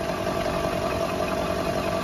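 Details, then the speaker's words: Car on a stand with the front suspension unloaded, in 2nd gear with the clutch released gently: the spinning front wheel gives a steady droning hum with a faint whine, and vibration is felt on the spring coil. The hub bearing, replaced three years and about 30,000 km ago, is suspected. "Плавненько сцепление отпускай. Слышно, да? Сейчас, секунду. Ложу руку на виток и тоже чувствую вибрацию."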